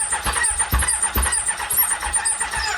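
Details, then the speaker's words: Triumph Daytona 600, long-sitting with water in the engine, cranked via jumped solenoid: uneven cranking with coughs that don't catch; one valve not sealing, low compression, may seal once it runs. "we got one valve that's not sealing, but it's sounding like it's wanting to start."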